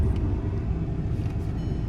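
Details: About 2006 VW Jetta TDI diesel after fixing P2108 throttle actuator flap code, which clicked after engine-off: steady even low diesel rumble, no knocks, misses or hunting; no codes, no engine light, pulls well uphill.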